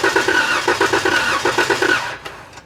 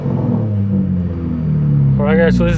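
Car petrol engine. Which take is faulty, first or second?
first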